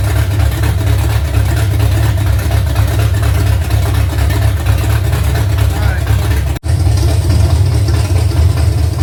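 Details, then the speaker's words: Freshly rebuilt V8 truck engine with new rockers, lifters, pushrods, intake and headers, valves just adjusted: loud, deep, lumpy idle with steady rumble, no ticking or knocking; running healthy, sounds like a pulling truck. "Yeah, it it's going to be nasty. Sounds like a pulling truck."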